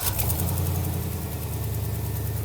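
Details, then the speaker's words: 2000-2007 GMC/Chevy Silverado 2500HD 6.0L, first start after replacing the fly-by-wire throttle body; fires right up and settles into a smooth, even low idle with no misses or knocks; no check engine light afterwards: normal idle. "fired right up, man. Good. Sounds like it's running all right. Idling."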